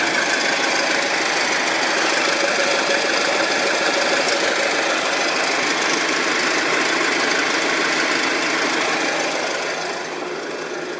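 A fast, fairly regular knock about three times a second rides over the running engine; knocking present, cause not yet pinned down.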